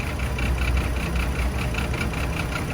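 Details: Chevy Trailblazer with a rough, lumpy idle; pulling the coil changes nothing, so that cylinder is dead. Misfire on cylinders 3 and 5, possibly spark plugs, coil pack or a bad ignition coil; not confirmed.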